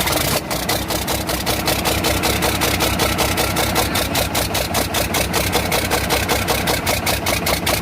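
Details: Cummins 6BT 5.9 diesel at idle: steady, fairly regular knock, about two or three a second, riding over the diesel clatter.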